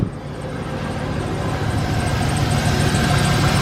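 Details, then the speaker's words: 2007 Chevy Express 3500 van V8 at first start after final oil change and motor flush treatments for a sticky lifter tick; low, even idle with no top-end ticking, normal idle. "How's that for the quad? From that clickety-clack, tickety-tack, sticky lifter to this now. Perfect."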